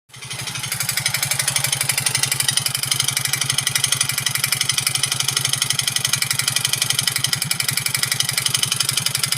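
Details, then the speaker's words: Yamaha Mio J scooter engine idling with a harsh, rapid metallic clatter over a low thump, likened to a dompeng engine, with rough running, smoke and oil burning; piston noise suspected, con rod not yet confirmed. "Oke Guys ini teman-teman bisa dengar suaranya ya kayak mesin dompeng tuh Gila ngeri banget suaranya kalau saya dengar-dengar sih dari suara piston yang paling jelas ya"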